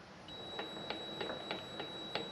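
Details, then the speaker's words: Vevor MX400 mini lathe turning slowly after tension pulley remount: quiet light ticks about every third of a second over a thin tone, from loose chuck adjustment screws dropping as the chuck rotates. "the Chuck itself has that little clunking noise you hear somebody pointed this out in one of the other videos thank you for that by the way but it's it's these adjustment screws that are kind of as they rotate they they drop and they make a little little tiny noise"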